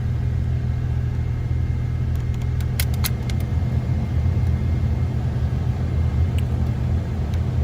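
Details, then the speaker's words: 2000–2004 Toyota Tacoma, heater on: steady blower fan whoosh with a few gritty crunches, speed pauses and loud motor noise; blower motor or resistor suspected, both being replaced. "turn on heater and it makes this crunchy noise i researched on youtube and this it is probably one of these parts"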